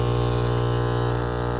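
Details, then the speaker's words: Aquarium air pump, loud when plugged in: a harsh, steady mains-rate buzz with a rattling edge, because worn rubber pieces let the armature hit the plastic housing. "So this is the aquarium pump from my tank, and whenever I plug it in, it's making a loud sound."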